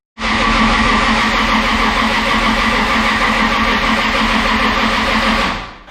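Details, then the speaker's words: Toyota 2JZ engine in a project car at first start attempt, oil priming, oil pressure unverified: steady starter churn around 200 beats a minute with no catch or firing; engine turns over but does not start. "well it's not starting but it's pretty dang cool to have it make some noise even if it's not idling and starting noise pretty awesome to see the engine turn"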